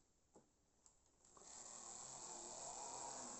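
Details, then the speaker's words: Jouef HO 030T Boer 0-6-0 tank locomotive with three-pole motor, lubricated: spins up into rough, buzzy high-pitched whir staying gritty and loud; these motors are known for terrible noise. "this is a lot a noisy motor in in fact one of the comments that people used to say about these three Poole zuf Motors they were complaining about their terrible terrible noise"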